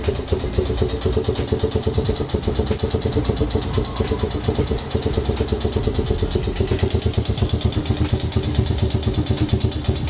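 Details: Old forgotten Honda single-cylinder engine at its first start: fires steadily with an even beat and no misses, running cleanly at a settled idle.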